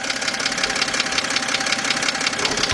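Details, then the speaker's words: 2007 BMW 328xi with engine ticking complaint, listening near crankshaft area at idle; rapid sharp evenly spaced ticking loudest at bottom of block, a lower-end internal engine knock, exact cause not yet found. "This is definitely coming from the lower end. Now, let's get some under here. Now the problem here is we still don't know what is exactly making that noise, but we do know it's coming from the internal bottom half of th"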